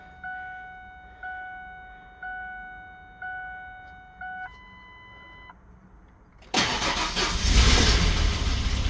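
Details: 1997 Ford Explorer XLT after fuel pump and filter replacement for a no-start, fuel primed by cycling the key: door chimes, short crank, then fires and settles into a steady rumbling idle; starts cleanly now.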